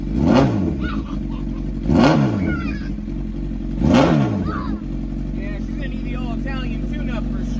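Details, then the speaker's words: Crashed Honda CBR1000RR first start-up after Marvel Mystery Oil in cylinders about a week; three quick throttle blips, revs climbing and falling cleanly, no knocking, no leaks: healthy revving. "Oh my gosh. The motor is not knocking. It's not leaking nothing."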